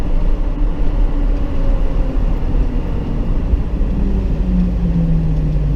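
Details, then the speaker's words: Truck gives a steady mid-pitched whine over road and engine noise while driving, pitch shifting slightly with speed; tires or differential suspected, possibly alignment, though the Hankook tires shouldn't make noise. "Why does it whine like that? I think it's the tires or the diff."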